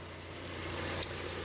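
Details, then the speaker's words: 2007 Honda CR-V that used to stall about three minutes after starting, after valve adjustment, new valve cover gasket and parts, with no misfires on the scan tool: quiet, steady idle hum with no stumbles; normal idle. "I already drove it around on the freeway and it's good it doesn't stall out anymore just like how it's idling here it'll idle forever"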